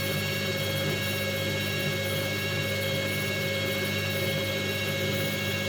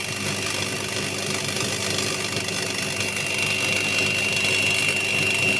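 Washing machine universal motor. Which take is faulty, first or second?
second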